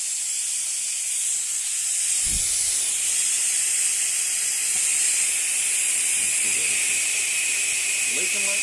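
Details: Used Craigslist air compressor, unplugged: constant sharp high hiss with no change in pitch or level; air escaping at the pressure switch, likely a gasket or ring, owner may replace the switch.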